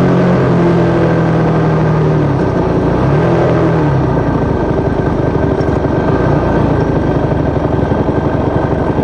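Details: YZ450 single engine in supermono race bike at steady speed, misfire worsening after a couple of laps despite changed carb settings, fuel tank, filter, breathers, ignition, coil, generator; uneven ragged beat with dropouts and stumbles, cause unknown.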